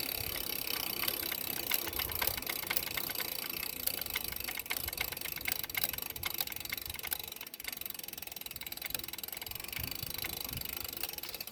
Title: knocking noise present on freewheeling